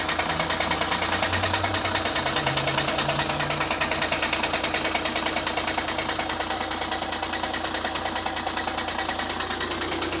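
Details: 2009 VW Passat CC 2.0 TDI 125 kW 170 hp DSG, cold start idle: sharp knock about three per second over diesel clatter, only when cold; persists after flywheel replacement; owner suspects oil pump, unconfirmed.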